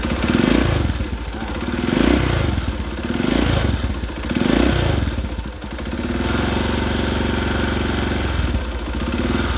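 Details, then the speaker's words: Honda GL/Tiger/Megapro-type single-cylinder motorcycle at idle: light fast clatter from the cylinder head over a lumpy beat; loose rocker-arm valve adjusting screws leave too much valve clearance. "Nah, kondisi yang semacam ini ya, mesin yang bersuara seperti ini biasanya itu kendor pada pelatuk klep ya, yaitu baut setelannya klep itu biasanya itu terlalu kekendoran sehingga pelatuk membukanya terlalu lebar ya"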